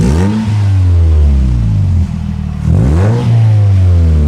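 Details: Car just fitted with a new exhaust: deep, smooth note rising and falling through two clean revs with no rattles or misses; healthy engine breathing through the freer exhaust.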